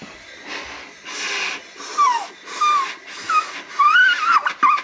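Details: Toyota 1UZ V8 sterndrive boat engine during a leak-down test. Repeated bursts of hissing air with a thin whistle on each pressurisation, air escaping past a leaking intake valve that is suspected to be held open by carbon.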